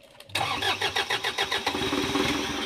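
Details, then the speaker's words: Kia Bongo 3 diesel, no-start from immobilizer communication malfunction, long unused with much wiring work; after clearing codes with scanner, using original key, cranks and catches within a second into steady idle. "So ito yung andar ng bagong matagal na na hindi napaandar tapos ang daming ginalaw ito yung talagang tunog na andar ng ag"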